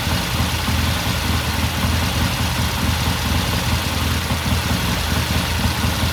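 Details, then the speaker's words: 1969 Triumph TR6 twin after pilot jet cleaning and pilot air screw turned in half a turn, warmed up about 10 minutes after cold start: even, steady low idle with no knocks or misses; normal idle. "Run for a few more minutes. All right, so I guess at 10 minutes or so, and it sounds good."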